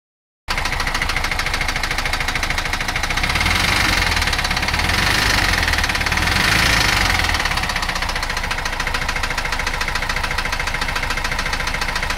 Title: 616 engine loud tappet noise